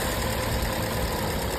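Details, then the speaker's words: Car after a leaking fuel-vapor (purge) solenoid valve was reseated by tapping; it had caused a rich mixture and daytime no-start. Now it starts first try with a steady even idle, no misses. "现在问题已经彻底解决了，发动机运行的特别平稳。"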